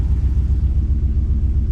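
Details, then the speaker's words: 1985 Chevrolet C30 crew cab dually with swapped 6.0 LS-based engine, about 2,122 miles, after a new cheap fuel pressure regulator: deep, lumpy idle pulsing unevenly, not a smooth beat; idling rough, owner suspects the regulator, unconfirmed. "Yeah, I think that fuel pressure regulator is no good either, but not as bad as the other one."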